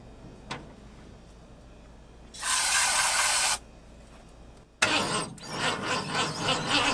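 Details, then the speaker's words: 1950 Ford F1 truck, sitting many years in a barn, started with carb cleaner sprayed into the carburetor. Brief cranking, then it runs raggedly with uneven surges for a couple of seconds and quits; carburetor to be cleaned: engine runs briefly then stalls. "starter have a little minute or so break but that's pretty good I think this thing is gonna come back pretty easy"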